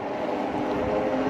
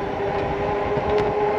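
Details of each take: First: you hear the motor kicking all right well this might you feel the motor kick again and then if i'm tired of pedaling just roll the throttle and we out Second: eAhora X5 Plus electric bike on its first ride, about 15 miles in: a steady mid-pitched whine over road rumble while pedalling. The rear brake rotor was suspected at first, then the noise was attributed to the rear hub motor. The cause is unconfirmed.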